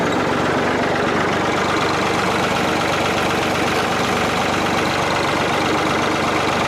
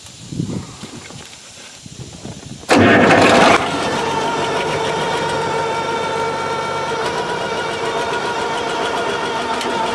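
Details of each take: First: Old piece of equipment running after tightening work: engine chugs at a steady, unhurried beat with no knocks or grinding, sounding the way old equipment should. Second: Tractor with a 1066 transmission housing and a brand-new MCV pump, diesel cranking then idling: a steady mid-pitched whine. Suspected to be the MCV, or gears with a different pitch in the housing, not confirmed.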